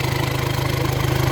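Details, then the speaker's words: Volkswagen-group diesel (SIA), engine management light on, idling with the EGR pipe loosened and covered by hand: rhythmic puffing as exhaust pressure pushes through where it shouldn't; EGR valve stuck open, skewing MAF readings. "Listen to the change in sound. There's pressure coming through this pipe which it should not be."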